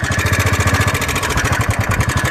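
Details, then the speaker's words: Motorcycle after a ride back from Yamunotri; the engine sound has completely changed, and the mechanic quoted about ₹12,000. Single-cylinder idle thump with an uneven beat and light metallic rattle. "जब से मैं ride पे आया था अभी यमुनोत्री से तो बिल्कुल आवाज आवाज बिल्कुल बदल रही है इसकी।"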